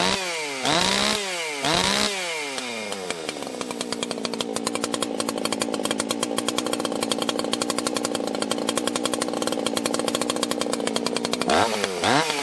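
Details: 1980s Husqvarna 281 chainsaw, warm restart without fast idle, after fixing a crackly, poppy-up-top ignition issue: quick start, clean rising revs, then a steady high buzz while cutting, no popping; normal running under load.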